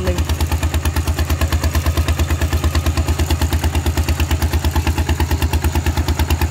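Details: Steel-wheeled diesel tractor ploughing a rice field with a loud replacement exhaust pipe: hard, even thumping about three beats a second under load, with a loud barking open exhaust.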